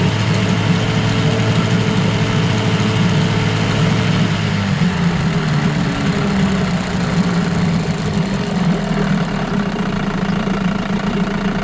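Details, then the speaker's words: 1989 Evinrude Yachtwin 6 hp two-stroke outboard in a test barrel: runs steady, but through about three-quarter throttle nothing happens, revs pick up only at the end; suspected carburettor or fuel pump fault, not confirmed; it also smokes. "there's definitely something wrong there about three quarters of the throttle nothing happens and then when you hit the end of it then it starts to pick up RPM"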